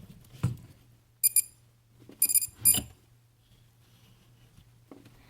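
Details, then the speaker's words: Walkera Runner 250 racing quadcopter power-up, controller turned on first then battery plugged in: a plug-in clunk then short, high, clean beeps in two quick groups, with a final controller beep; normal, ready to arm. "And then uh you'll hear another final beep from the controller itself and then you're ready to go."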